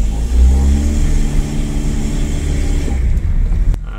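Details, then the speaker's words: Honda Fit/Jazz CVT after Xado EX120 treatment for CVT shudder, driving up the steepest part of a hill: steady, even engine drone under load with no shudder or pulsing; shudder appears gone. "okay that seem to have gone be cool pretty cool yeah well that's the easiest repair I've ever done"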